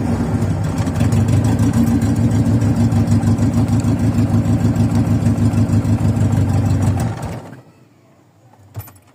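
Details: VW Voyage cold start after sitting many days, with worn mechanical parts: steady low cranking chug about three beats a second that stops without catching. It usually starts after a few cranks but idles rough; cause not confirmed.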